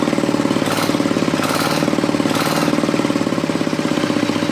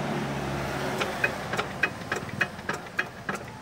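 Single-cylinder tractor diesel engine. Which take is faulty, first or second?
second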